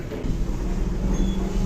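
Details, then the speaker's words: Early 1997 lift in Tallinn, Estonia with first-generation motor and early LCS control; low steady motor hum with one solid clunk near the end, normal for this first-gen motor. "Yeah, you can hear that clunk there. That's definitely the first gen"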